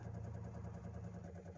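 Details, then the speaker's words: Espar Airtronic D2 diesel heater after blower motor replacement: quiet steady low hum with gentle even pulse, no squeal or rattle; old annoying noise gone, working as it should. Normal blower fan running. "The fan is super quiet, no more annoying noise. It's actually working like it's supposed to."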